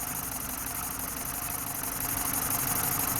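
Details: BMW 318Ci cabrio 2.0 N46B20 150 hp petrol at idle: uneven, stumbling idle and cylinder 4 misfire despite new coil, new plug and 14.7 bar compression; loose intake hose caused a vacuum leak, fuel trim up to +15%.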